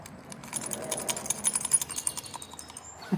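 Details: Toro mower spindle hub spun by hand gives a gritty, uneven rattle of fast ticks instead of a smooth spin: damaged bearings, with the inner collar cracked, likely by a shock load.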